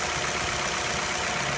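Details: 2004 or 2005 Nissan Altima that stumbled at idle after a valve cover gasket change, suspected vacuum leak; after an o-ring repair, water test: steady, even idle, no hiss or stumble; no vacuum leak found.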